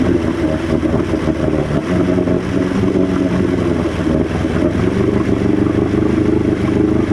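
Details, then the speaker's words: Two-stroke outboard after carb cleaning and 50:1 fuel remix, warmed about 30 seconds near full throttle: uneven, wavering lumpy burble that never settles to a steady idle, slowly dies; primer solenoid works, cause of no idle unknown. "When I try and put it back to idle, it just slowly dies and kills. And then I'll crank it again, and it seems like it cranks right up."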